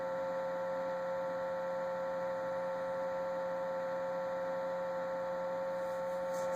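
Constant layered hum with a steady high whine on top that never cycles; an abnormal fridge noise, source not pinned down.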